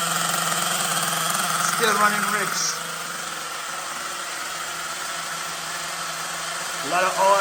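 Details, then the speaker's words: LRP 32x Spec 4.1 nitro RC engine on its second break-in idle tank in a cold garage, engine cooled to around 57°F, needles unchanged. Uneven, burbling idle with lazy pickup on blips, though carburetor holds steady tune; still running rich. "so attack number two still running rich so my last stance is almost done you could hear the carburetor you know well not the engine it's idling very steady"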